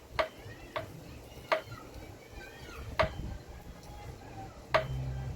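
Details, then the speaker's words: Motorcycle front wheel spun by hand with brake caliper removed: sharp, uneven knocking cracks about once a second from the axle area, quiet otherwise; suspected worn front wheel bearings. "Realmente está tronando por acá, donde va la parte del eje, amigos, al girar el aro. Al girar el aro, se escucha como hace un golpeteo, amigos, un ruido."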